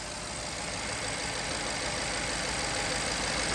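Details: BMW F12 650i with a replacement 4.4 N63 engine, first start after the engine change using booster packs: steady, even idle with a smooth hiss and no knocks or misses; smoke coming off the top is thought to be spilled antifreeze or oil burning off.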